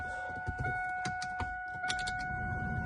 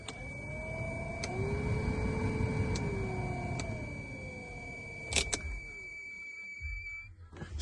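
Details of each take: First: WS6 Camaro/Firebird (1993-2002) HVAC blower motor after replacement with a genuine GM unit (part 52495079): a steady, even fan hum with a faint constant tone, the normal noise with the old high-pitched squeal gone. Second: 1993-2002 Camaro/Firebird WS6 HVAC blower running: steady high-pitched squeal over rushing air from a worn blower motor bearing.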